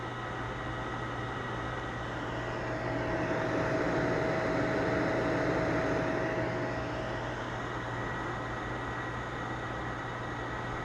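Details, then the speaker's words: Sony PS3 fat CECHH01 with delidded GPU but CPU not yet delidded, idling about 30 minutes: steady airy rush and constant hum that swells and settles; loud cooling fan, owner unsure whether CPU or GPU causes it. "all right so the 30 minutes are more or less up and when it comes to noise output it's very audible"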